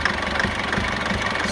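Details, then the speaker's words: Foton Tunland diesel idling with the engine visibly shaking and uneven lumpy thumps with a rattly knock, after two recently repaired injectors started giving problems again; rough idle, root cause not yet found. "too bad but can you see how that how the engine is just shaking she never used to do that she never used to do that at all"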